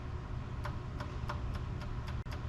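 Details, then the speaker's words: Cope Racing 48RE transmission trans-brake valve body on the dyno, solenoids powered electrically, fan running behind: light, even clicks about three a second over steady fan hum; lockup solenoid switching normally. "That's the trans brake. And the lockup is a little bit harder for you to hear. I'm not sure if you'll hear that on camera."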